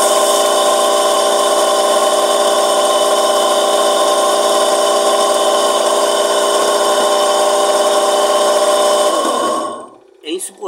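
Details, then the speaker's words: Washing machine motor running empty with no water, loud steady piercing whine-roar from a worn motor bearing, which needs replacing. "vai trocar esse rolamento se motor mas não vai trocar hoje"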